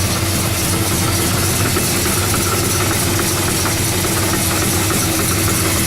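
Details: 1970 Oldsmobile Cutlass V8, cold start after sitting a while: uneven metallic rattle over the low idle rumble, the exhaust header hitting the frame; header needs adjusting.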